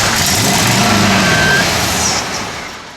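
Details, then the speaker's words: 1970 Plymouth Road Runner, first start after about 25 years unrun, fuel system not yet serviced, gas poured into the carburetor: brief rough roar that sags and fades within seconds as the fuel runs out; timing is off. "but by God it runs look at that accelerator pump squirting you see that she okay we got the timing off"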